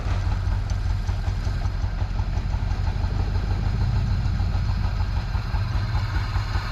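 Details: Cheaply bought Jeep Wrangler, just started with a good battery: deep, uneven idle that lopes and stumbles and won't stay running without starter fluid; owner wonders about the fuel pump, cause unclear.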